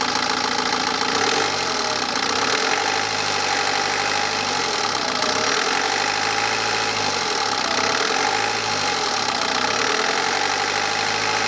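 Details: BMW 318d N47 diesel revved, timing chain reportedly replaced 40–50,000 miles ago per previous owner: pitch rises and falls with each throttle blip with a light rattle riding on it; possibly worn timing chain, unconfirmed.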